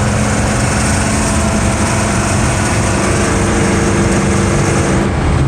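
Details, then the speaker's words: Ford F-150 climbing a mountain in fourth, then third gear, limited to about 49–50 mph, engine labouring with a fast, tinny pinging rattle over the drone; more throttle gives more pinging. "I'm going up a mountain right now, and oh my lord, this thing is pinging like crazy."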